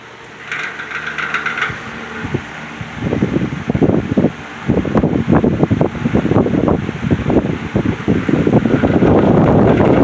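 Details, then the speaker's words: Heavily worn Patton U2-1479 14-inch floor fan on its first test run: ragged clatter and uneven thumps build as it spins up instead of a smooth hum. The motor bearings are dry and worn and need oil, and the washers likely need replacing. It spins freely and is not seized. "Those bearings do not sound like they're too happy. So yeah, I think I'm gonna stop right there. I mean, the bearings are definitely in need of oil, but it sounds like those the washers in that thing definitely need to be replaced."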